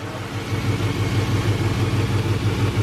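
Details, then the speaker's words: LS-swapped Chevrolet Suburban V8 on first start-up after the swap with new cold air intake, even low rumbling idle, steady exhaust pulse, no knocks or smoke; normal idle. "it sounds good no knocks"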